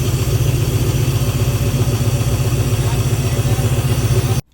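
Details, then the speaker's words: OBS truck idling after a new fuel pump install and fuel line adjustment, catalytic converter cut off (owner guesses it was clogged): loud, deep, raspy idle with choppy low pulses and a leak-like rumble under the cab. "And then the exhaust, I'm guessing they had like a clogged up catalytic converter and they cut it off. That's why it sounds like an exhaust leak und"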